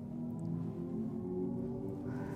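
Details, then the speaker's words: 2024 Hyundai Ioniq 6 Limited, dual-motor AWD EV, at slow speed: a quiet, steady synthetic hum from a speaker, not the motors or batteries. It fades as speed rises and can be turned up or adjusted. This is the pedestrian warning sound working normally. "so as you're in slow speed you can hear that wine that is not the uh engine that is not the batteries doing anything that's just a uh speaker making a noise that gets progressively quieter as you get up to speed"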